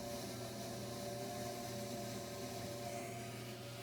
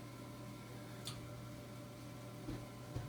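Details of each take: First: Furnace inducer fan sounds like it's struggling, a steady droning whir with low rumble and uneven chug like a train; water found in the inducer housing, furnace won't kick on, three red blinking lights. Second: Furnace inducer fan after clearing water from it (fault showed 3 red blinking lights, weird fan noise, no heat), power restored: steady low hum with faint knocks and a little water trickle, much reduced; normal running before burner lights.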